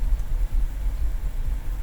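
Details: BMW N62 V8 at idle: deep, uneven idle that wobbles and dips irregularly, with vibration and audible sparking; misfire on cylinder 2 suspected to be its failing ignition coil, diagnosed with INPA.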